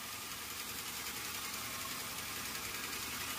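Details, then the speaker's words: Xenia 1NR dual VVT-i after overheating repair (water temperature sensor, thermostat, head gasket). Quiet, soft, even idle with no knocking; it was noisy at the first start when oil didn't rise. Normal idle. "Oke Langsung lembut mesinnya kemarin waktu hidup pertama itu mesinnya ribut karena oli tidak naik ini langsung meredam suaranya"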